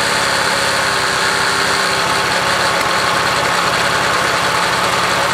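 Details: 1966 Honda CL90 (owner unsure of year), rebuilt top end, idling after debris was cleaned off the ignition points: quick, fairly even putter with no misfires; running properly now the ignition is sorted, wants to run good.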